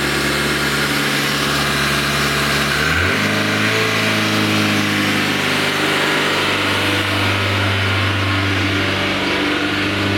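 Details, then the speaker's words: Renault Twingo after replacing the idle control motor on the throttle body and doing an accelerator relearn procedure: engine starts then revs jump and hold at a steady high idle that does not settle while warming, idle not yet learned. "là manifestement la voiture n'a pas appris le ralenti mais au moins ça marche bien"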